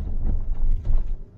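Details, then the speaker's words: 2006 Vauxhall Corsa on test drive over a ridge: two dull low knocks under road rumble, mild front-end clunk; suspected slight play in track rod ends, still MOT-passable. "not too bad this sounds like there's a little bit of playing some track rod ends but passing mot with them"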